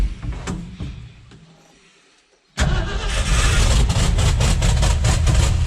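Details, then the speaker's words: 1969 highboy with tired 360 V8, first start after fuel system cleaning, throttle applied: cranks then fires into a loud, lumpy, uneven run with raw open exhaust note; won't idle and smokes heavily. Rough running, loud exhaust. "Hey! Doesn't want to idle. And it's smoking a lot. I thought this thing had a full exhaust. It sounds like there's not even an exhaust on the thing."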